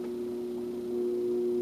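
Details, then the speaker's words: BK E200D signal generator, modulation not working out of the box: after raising the supply above 60 V, a clean steady tone near 330 Hz with no wavering; noise gone, modulation now working. "I'm sure that sounds good sure at all modulation want to come up a little bit if we can go up a hair more and the noise went away"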